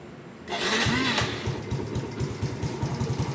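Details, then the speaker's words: Yamaha motorcycle with stage-2 built 53 mm engine, stock gearing, after a crash: cranks and catches quickly, settling into a steady, even idle putter; engine runs well and quiet, normal. "โอเคนะก็เครื่องก็ติดดีเครื่องยังเงียบปกติ"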